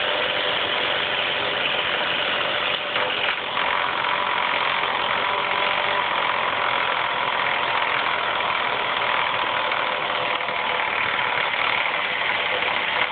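A loud, busy metallic clatter rides over a steady idle without easing: a rattle from the top end, cause not yet confirmed. Cause suspected, not confirmed.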